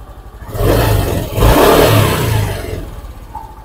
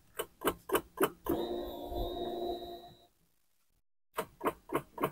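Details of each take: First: Honda Beat injection scooter whose starter worked only intermittently despite a new battery, after cleaning rusted starter relay terminals: starter whirs, the engine fires cleanly, revs up and settles; starts normally after the repair. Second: Honda Beat injection scooter with new battery, after about half an hour of riding: starter gives quick even clicking, three or four per second, but cannot crank the engine; battery area suspected.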